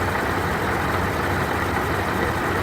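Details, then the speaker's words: Car idling with a steady dense marble-like rattling grind, constant with no rev change; first unsure whether engine or supercharger, under the hood clearly traced to the supercharger. "You can kind of hear it inside the car. It sounds like marbles or something in the supercharger."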